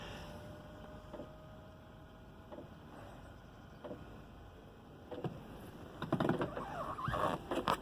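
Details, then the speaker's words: Webasto Airtop 2000 diesel cabin heater newly installed on a Westerly Konsort sailboat, first startup. Soft, evenly spaced ticks about once a second as the unit starts and exhaust smokes at the transom outlet: normal metering pump ticking. "And now you can hear the pump ticking, the metering pump. And the unit itself starting to come on."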